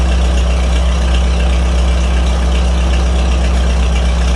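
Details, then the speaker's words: 1949 Farmall H gasoline tractor after new spark plugs: deep steady idle thump firing evenly with no misses and no rattle up top; normal idle. "sounds like an H now and no rat attack tat up top either"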